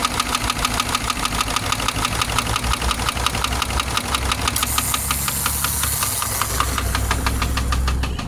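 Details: Subaru engine idling with a steady rapid knock, roughly eight a second, sharp above the low hum; owner weighing repair versus replacement engine.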